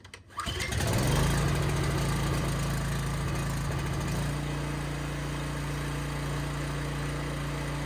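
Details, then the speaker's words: Coleman Powermate 5000 generator after maintenance and new spark plug, choke on: one hard pull starts it immediately, settling into a steady, even low drone with no misses; normal start and idle. "We'll fire it up. All right, it's just a little bit while later. I went and grabbed some dinner, so we'll try and start this thing and see how it runs. Turn the switch on, make sure the choke is on, and give it a good yank."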